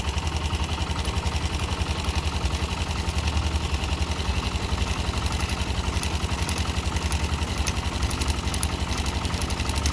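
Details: YB single-cylinder motorcycle idling with a fairly steady beat and a light tick riding on top; abnormal engine noise, cause not identified.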